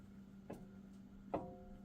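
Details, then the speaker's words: 2018 Jeep Wrangler Unlimited Sport, passenger-side front axle rocked by hand at the universal joint into the front differential; two sharp metallic clanks with visible movement. Worn universal joint that needs replacing; a dealer had flagged the front axle. "See how you can hear that clanking? So that universal joint is starting to go"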